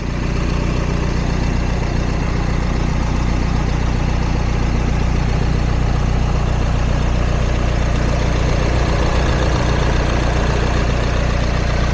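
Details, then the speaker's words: 2019 Nissan X-Trail T32 2.0 dCi (M9R) diesel, Xtronic, 4x4, 128,000 km, at idle: faint regular buzzy rattle from the engine cover touching a pipe, not from the engine itself; water system previously repaired and engine mount replaced. "При работа на двигателя има един специфичен звук, който ще чуете. Той е от кората на двигателя, която опира в една от тръбите, не е от самия двигател."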